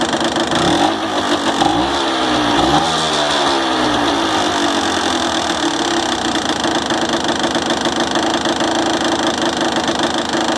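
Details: Honda NSR 125 Foxeye (JC22) two-stroke, close up, blipped a few times then idling, with a dry metallic rattle over the buzzy exhaust note; owner suspects piston slap.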